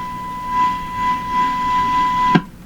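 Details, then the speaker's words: Hallicrafters TW2000 receiver, front-end signal tracing with tracer tuned to the IF around 450–455 kHz, roughly 1 MHz generator input: clean steady mid-pitched tone for over two seconds, then a click; signal passing normally through the first stages. "According to this, the IF is running around 450. Well, okay, there's nothing wrong. There's nothing wrong here."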